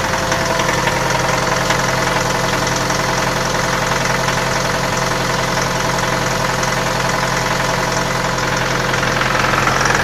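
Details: Mitsubishi L200 diesel cold start at −7 °C in garage: steady rapid knock about two per second over the clatter; occurs every morning and disappears as the engine warms; cause unknown.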